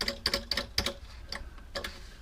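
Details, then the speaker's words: 1970 Ludwig drum internal muffler: sharp, uneven metallic clicks as it is worked, from a loose rivet holding the top felt. The fix is re-flattening the rivet or gluing rubber behind it. "There's a rivet underneath that holds this top felt in, and basically you can't have that rattle."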